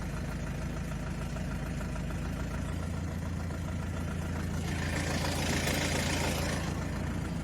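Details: 2005 BMW 320i E90 with N46 engine and automatic gearbox: a dull, rough knock of about four per second under low load, in gear on the brake while revving slightly, and worsening; owner suspects rod knock, flexplate or camshaft bearings.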